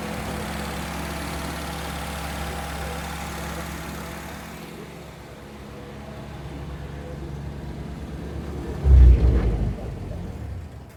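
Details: Mitsubishi Jeep J3-J10 petrol engine being recommissioned, investigating a no-start and carburettor overflow: low, uneven, ragged running that stumbles and dies after a few seconds; misfiring.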